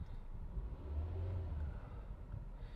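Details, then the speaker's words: 2011 Volkswagen Jetta 2.5, after securing a loose air intake box hose: gentle throttle gives a smooth, even rise with no stumble, where it previously spluttered 1,000-2,200 rpm; misfire fixed, check engine light out. "let me give a little gas now so let's I'm GNA do slowly oh yeah very smooth very smooth see"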